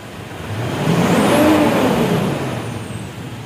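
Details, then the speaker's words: Mitsubishi Strada Triton VGT diesel (2012–2015), after cleaning dirty intake and addressing open or leaking EGR during purging: clean rev rising and falling smoothly with no stumbling, earlier misfire and white smoke near 2000 rpm gone. "ini lagi proses Lur lagi proses Alhamdulillah tidak brebet lagi ya"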